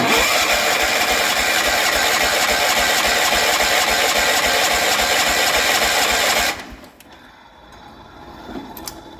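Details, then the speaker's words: Barn-find 1973 John Deere 140 H3 garden tractor, sat about 20 years, mouse nest being cleared, carb not yet cleaned: steady fast starter cranking about three and a half turns a second for six seconds, expelling more debris. "I'm gonna crank it over though and see if anything else comes up."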